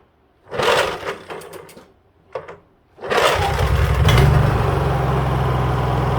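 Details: Honda EU3000is inverter generator after carburetor cleaning, choke on, fuel valve open: a couple of sharp pulls, then catches and settles into a steady even drone; normal start and run.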